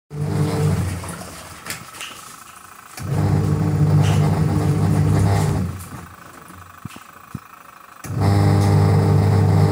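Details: Panasonic twin-tub washing machine bought December 2017, by June making coarse rough hum like rubbing or wear as the motor surges on and off during washing.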